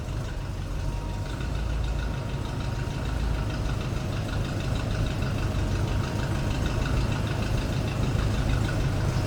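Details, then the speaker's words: 1936 Ford Deluxe Tudor sedan street rod with small-block V8, cold start: steady low rumble at idle with an even, deep exhaust beat and no knocks or ticks. Exhaust not too loud; sounds healthy. "Sounding good, nothing too crazy for exhaust. Nice little rumble out of that small block."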